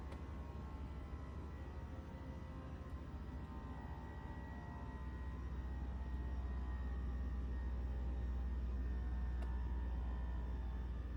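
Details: 2024 Toyota RAV4 SE in EV mode, fully charged, cold day, heater on: deep steady droning hum swelling after seconds with faint whine, from under left side of hood; owner likens it to heat pump blades hitting something, whole-car vibration.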